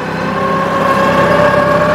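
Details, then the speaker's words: New Holland compact tractor with a floppy loader bucket, diesel idling: steady high whine holding pitch as the hydraulic pump sucks air into the loader circuit. "oh you hear that noise that's sucking in air"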